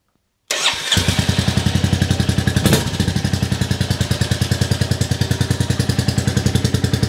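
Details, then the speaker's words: Rebuilt 2022 Royal Enfield Classic 350, first start indoors: catches quickly into an even, loud single-cylinder idle; engine healthy, exhaust blatty, and the owner is not convinced by the silencer and may refit the original. "it's done I can't believe it it starts it runs not convinced by that silencer I'm indoors it sounds a bit blatty"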